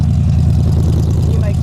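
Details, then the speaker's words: 1991 Ford Explorer flatbed conversion, after new brake booster and fuel injectors: deep, steady, even burble at idle, no knocks or misses; mellow sporty glasspack exhaust, not too loud, running healthy. "it sounds pretty good it's not real loud but it sounds good I didn't want it being real loud and obnoxious anyway so it's perfect oh sounds sporty I think there's a sporty exhaust"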